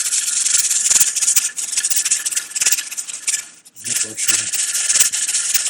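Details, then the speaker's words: Pressure canner processing chili, gauge at 10 pounds: hissing, rattling steam bursts as the weight rocks steadily with a brief pause, building pressure and venting at 10 pounds. Normal weight regulator rocking. "once that rattler starts moving consistently without stopping then you you see how there's a slight pause every now and again builds up a little bit of pressure and then vents off at 10 pounds"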